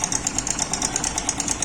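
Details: Yamaha Crux motorcycle at idle: fast even metallic ticking about eight per second, slack timing chain slapping because the chain tensioner spring is broken.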